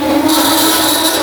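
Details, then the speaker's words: Garage door in a workshop conversion, before its rollers are replaced with 3D-printed wheels: continuous rough scraping with a thin squeal as the door moves, likely worn rollers dragging in the track; cause suspected, not confirmed. "So, to get rid of that, I 3D printed these wheels that will run in here, and that hopefully gets rid of the noise."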